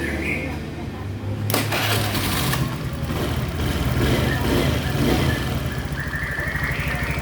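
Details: Honda Beat FI scooter that had a rough starter and stalled because the injector kept spraying; after injector replacement and fault-code reset: starter whirs, engine catches and settles into an even idle with no misses or knocking.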